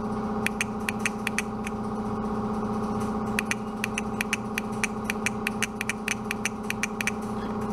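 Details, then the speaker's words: 1967 VW Beetle 1500cc carburetor fuel shut-off solenoid, removed and bench-wired to a jump box: sharp crisp clicks in irregular bursts over a steady hum as it snaps in and out; fuel shut-off solenoid working. "Alright, so this is the fuel shut-off solenoid, and I have her wired up here next to my jump box, and you guys listen carefully, you'll hear that that's working."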